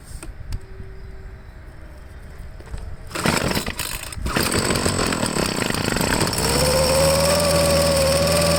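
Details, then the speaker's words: Troy-Bilt two-stroke leaf blower after carburetor cleaning, started on half choke: catches then runs ragged, pitch wandering upward unsteadily, losing prime; rough running, nearly out of fuel, tank empty. "it kind of lost its prime as i'm pushing the bulb in and it's oh could this be out of gas what an idiot what an idiot"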